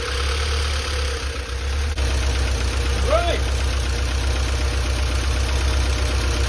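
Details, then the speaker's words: Flood-damaged Porsche 968 on first start during restoration, after fuel flush: light, even ticking about four times a second over a rough idle; hydraulic lifters tapping until they fill with oil after the long lay-up, oil pressure good. "right she's a little sey but that will calm down because it's been a long time for the lip that to F with oil but I'm happy"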